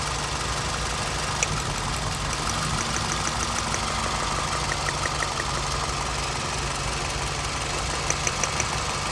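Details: 2007 Scion tC petrol engine idling smoothly and evenly after replacing the faulty ignition coil that had caused a misfire, check-engine light and heavy shaking; no stumble or missed beats now.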